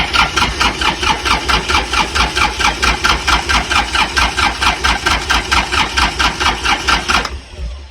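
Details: Hard-used Kubota L3400 diesel tractor on new marine-style battery, first start attempt: starter cranks in an even beat, about two compressions a second for seven seconds, with no firing; cranks but won't start.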